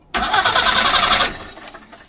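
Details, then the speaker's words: Trabant 601 starter after cleaning contacts and re-crimping the cable lug: quick, lively, even starter spin for about a second with no clicking or dragging; problem fixed, starter cranking normally. "Klingt gut, würde ich sagen. Problem behoben."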